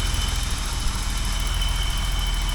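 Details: 1985 BMW 635CSi at idle after annual maintenance and alternator field-wire fix, transmission fluid warm: smooth, even idle with a steady low rumble and faint constant high note, no knocks or groaning; engine and steering pump sound healthy.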